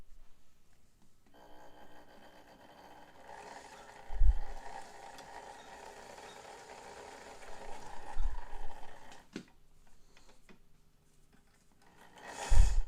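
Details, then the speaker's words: White Model 510 'Flip Flop' sewing machine with tension issues, stitching zigzag: low, rough growl like a growling stomach swelling in and out with uneven thumps; motor seems normal, cause not found. "That is one of the strangest sounds I think I've ever heard out of a machine. It sounds like it sounds like a growling stomach. That's bizarre."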